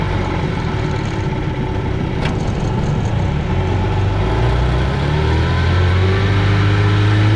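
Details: 1965 Johnson FD-19 18HP outboard on its first run after rebuild: head from a '69 Evinrude 25hp giving very high compression, serviced points, new plugs, carb kit, new impeller, converted to short shaft. Even two-stroke buzz building smoothly in speed, no misses or knocks; running healthy.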